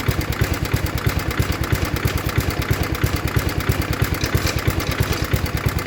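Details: 1960s Toro Professional 70 reel mower 8 hp single after carb rebuild and fuel system cleaning, fuel fully on, warming up: crisp evenly spaced putt-putt at steady idle, no misses; running clean.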